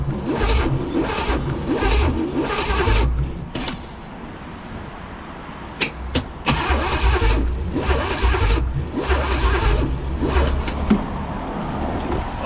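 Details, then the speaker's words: 1985 Pontiac Trans Am 5.7 (350 small-block Chevy), not run in 7 years and freed from seizure, premix fuel poured in, header on one side: the starter churns slowly in bursts but the engine never catches; a weak battery is suspected. "I think I'm having battery problems gu"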